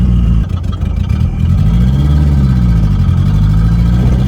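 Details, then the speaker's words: Turbocharged 1969 MG MGB with a Mazda CX-7 K04 turbo and stuck-shut wastegate, on premium fuel mix with octane booster: the engine drones unevenly under load, sagging and nearly dying. Afterwards it overheats, knocks and pops; suspected blown head gasket. "All right, guys, she is not happy at all. She's dying on"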